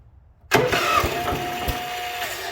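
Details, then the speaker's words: International Harvester 4130 skid steer with choke on, some throttle: the starter cranks with a few uneven thumps and the engine nearly catches, then cranking cuts out after two seconds with no start; owner suspects the starter kicks out thinking it has already fired. "but it's almost firing it's just barely not firing because the starter's kicking out thinking that it has already fired and it hasn't"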